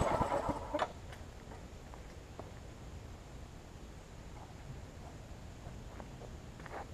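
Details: New 2013 Murray push mower, after removing a hard piece of rubber stuck in the intake valve that caused lost compression: short cranking burst, catches and settles into a steady putter; runs great now.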